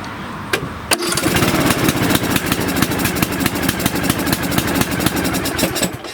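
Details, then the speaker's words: Lawn tractor engine reassembled with a new camshaft, sump gasket and crank seal, first start on choke: cranks, catches, then runs in a lumpy, uneven putter, rich with a sticking choke; once the choke releases it starts right away. "Sounds like it's stuck on choke. Okay, another sticky choke here. I've seen this before."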